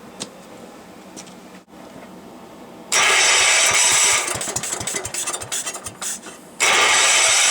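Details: Gravely Commercial 12 after repair (carb bowl cleaned, flywheel ignition module gives good spark, carb still needs adjusting, transmission oil low): quiet clicks, then it fires quickly and runs a fairly smooth, steady beat, briefly stumbling; a normal start.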